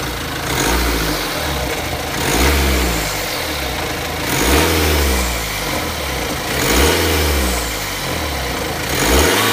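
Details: BMW X3 F25 engine revving up and settling in slow waves with a metallic rattle over the rise, consistent with timing chain noise.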